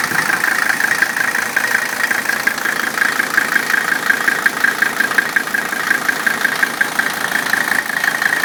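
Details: 1985 Mercedes-Benz 300D diesel, 307,000 miles, hood open; steady, even idle clatter at nearly three beats a second, no misses or heavy knocks, engine runs fine.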